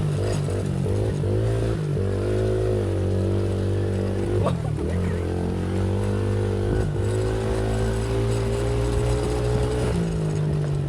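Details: Loncin 70cc ATV single after cheap top-end rebuild, no air filter or exhaust: revs up and down cleanly with throttle, no knocks or misses; normal running.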